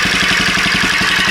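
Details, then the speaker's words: Golf cart motor-swapped from an 8 hp Briggs & Stratton single, with a custom exhaust, idling cold. Even exhaust pulses about ten per second and a smooth idle with no knock; valve springs are faintly audible, and it sounds healthy. "And it don't sound bad. You mainly hear everything running through that. You can kind of hear the valve springs a little bit, but it is what it is."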